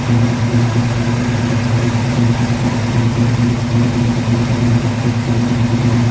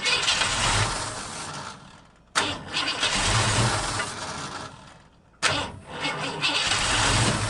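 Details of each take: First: 1950 Ford F1 truck, long stored in a barn, after ignition rewired to MSD box with fuel pump hardwired: steady, even idle with a smooth low hum and no misses or knocks; engine running cleanly. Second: 1950 Ford F1 truck, long stored in a barn, with dirty carburetor, on car cleaner spray: two crank attempts each catching with a quick roar then fading within two seconds; ignition fed only while cranking.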